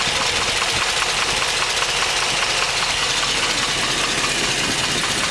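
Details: 2010 Hummer H3 Alpha, 5.3L LH9 all-aluminum flex-fuel V8, 2500 miles, idling after about an hour's running: hard regular diesel-like clack about 2.5 per second; GM-diagnosed piston slap since 1000 miles, worsening, not fading after startup.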